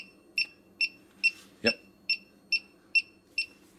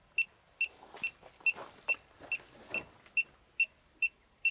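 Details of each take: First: Elitetech WJL-6000 halogen refrigerant leak detector, newly switched on with four AAA batteries in a quiet room: steady, evenly spaced high ticks about 140 a minute; normal idle rate with no refrigerant present. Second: Elitetech WJL-6000 refrigerant leak detector at full sensitivity, probe held at a car A/C low-side charging port: sharp high beeps about two per second, then a rapid cluster as refrigerant is detected.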